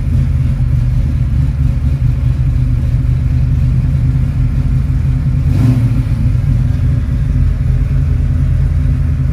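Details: Restored 1970 Ford Mustang Boss 302 V8 with 4-speed manual, started in walkaround check: deep, even V8 rumble holding steady with one quick throttle blip, no knocks or misses; engine running healthy.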